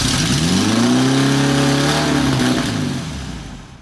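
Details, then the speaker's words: 1973 VW Bus Westfalia flat-four, first start after about 20 years sitting, new plugs, running rich and smoky: runs high and busy on all four, rpm sagging slightly; fast idle, valves likely need adjusting. "That's a fast idle. No. wants to run. She just wants to go, man."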